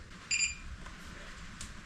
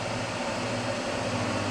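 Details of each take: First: Newly built EEL DIY V5 battery (EVE LF280K cells, JK BMS) switched on for the first time at 99% state of charge: one short, high double-toned beep, then quiet. Normal power-on beep. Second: EEL DIY V5 battery box (EVE LF280K cells, JK BMS) near empty under heavy inverter draw, about 63 A, lid back on: steady low hum with fainter mid tone; no hotspot found, cause unclear. Electrical hum under heavy load.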